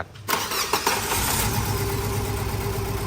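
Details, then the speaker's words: Tata CNG A34 started and idling unevenly, not firing on all cylinders, shaking and stumbling on throttle; oil in spark plug wells from leaking valve cover gasket; plugs and gasket replaced. "สตาร์ทติดนะฮะเครื่องเดินไม่เต็มสูบเครื่องสั่นเร่งสะดุดนะฮะ"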